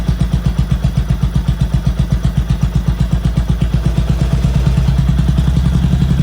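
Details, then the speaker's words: 1979 Honda CX500, after replacing missing hardware and installing the throttle sleeve: low, heavy, uneven chuffing about four a second, barely staying lit, then picking up slightly; rough running, getting too much fuel, carbs suspected. "okay yeah definitely getting too much fuel so have to dive into that issue"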